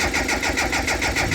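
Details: JDM Datsun that has been cutting out and now won't start: the starter spins the engine in even pulses, about six or seven a second, but it never catches. The fuel pump is not heard priming except while cranking, though fuel can be smelled.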